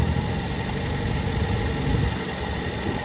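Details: Toyota KE20 engine with an uneven idle that hunts and sags rather than holding steady, heard while it is hand-revved as water is run through to flush the engine coolant; the cause of the rough idle is not confirmed.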